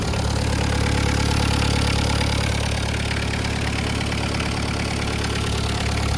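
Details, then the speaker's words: VW Caddy pickup 1.9 diesel, just jump-started on a weak battery, cam belt history unknown; even diesel clatter about 3.5 beats a second, no misses or knocks, no smoke. Normal idle. "Yep, it sounds like a diesel. No smoke. Rust, but no smoke."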